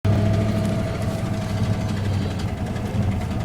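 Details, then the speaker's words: Ford Ranger with 302 5.0 V8, while driving: dull heavy knocking under a rough drone, repeating with engine speed; worst knock yet, owner nursing it; bad bottom-end rod knock suspected. "worst I've ever heard the truck knock. I'm just trying to nurse it."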